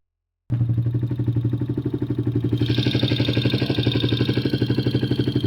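A steady idle carries a sharp, even tick about four times a second. It could be loose valve clearance or a knock and needs checking.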